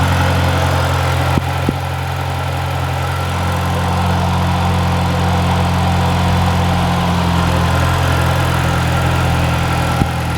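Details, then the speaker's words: Mini after tightening loose bracket and downpipe bracket to fix rattle at cold start: petrol engine idles with steady even low hum, no exhaust rattle anymore. "i don't know about you guys but i don't hear it anymore so i think we fixed it actually i know we fixed it there's no more rattle no more rattle at all"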